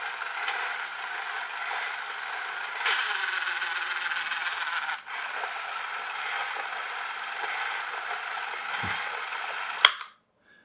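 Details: Electric toy train styled like a clockwork toy, with broken gears that need replacing. The small motor whirs with a harsh rattling clatter and sudden crunching jolts as the broken gear teeth skip, momentum stepping it over.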